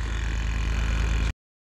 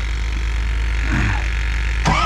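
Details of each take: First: Ford F-series diesel truck (F-550) during a cold-start revival attempt, key on and possibly no working glow plugs: fast, even clicking over a low steady drone, possibly a small electric vacuum pump cycling; the cause is unconfirmed. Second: Ford F-550 diesel cold start in a snowstorm, about 500 psi high-pressure oil: click, then about four seconds of steady starter spin with evenly spaced compression pulses; even, healthy cranking.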